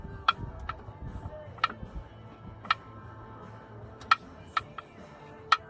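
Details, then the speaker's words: 1989 Jeep Cherokee XJ, Renix I6, AW4 automatic, engine off, most bolts removed, last one loose: sharp irregular pops about once a second as flexplate is pried; matches intermittent running knock, owner suspects cracked flexplate but sees no crack. "that sounds like the noise sound familiar so I think that's the issue"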